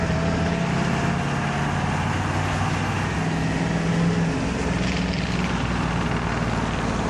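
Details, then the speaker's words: Bullnose Ford F350 project truck driving after a faulty cab power wire connection was repaired: steady deep engine drone under road noise, even and smooth with no knocks or misses; sounds nice. "God, that sounds nice."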